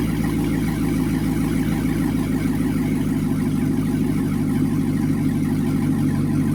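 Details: C6 Corvette with a newer LS2 V8 swapped in, right after first start, no coolant yet: deep, steady idle with an even, regular beat and no knocks or misses; oil pressure good, normal idle.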